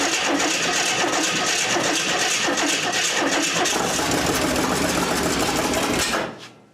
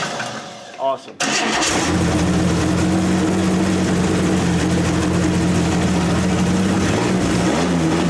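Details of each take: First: 1927 Hudson, unrun about seven years, after new starter cable, points and timing unchecked, no fuel yet to carburetor: steady brisk cranking about three turns a second with a first catch before it cuts. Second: 1927 Hudson revived after seven years unused: after a quick crank it catches and settles into a steady, even but fast idle that never drops; idle speed set too high, to be backed off; points may need setting.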